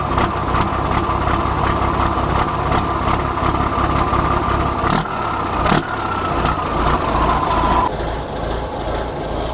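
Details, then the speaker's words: 1973 Volvo G89 truck, TD120 320 hp diesel, long abandoned, after bleeding air from the fuel system: deep, chugging, smoky idle with fairly steady beat and injector clatter; a slight misfire earlier was put down to air in the lines. "It makes your eyes water, not only for the smoke, but the sound of it is just absolutely beautiful."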